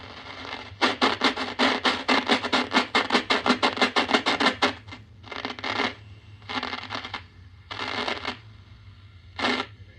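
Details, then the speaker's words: 1940 Admiral 15-D5 AA5 tube radio: harsh scratching bursts come fast, then slower and spaced out as the dial turns; the tuning capacitor ("banana slicer") plates are suspected to be rubbing, possibly bent. "Sounds like the things might be, the banana slicer tuner might be rubbing"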